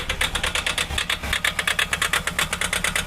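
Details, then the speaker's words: Mahindra XUV500 diesel at idle: fast, sharp ticking knock about three a second, sounding as if something is broken; cause suspected, not confirmed, to be checked with a scan tool. "इसमें problem है बहुत अजीब सा sound ए रहा है ऐसा ग रहा है जैसे टूटी हुई है"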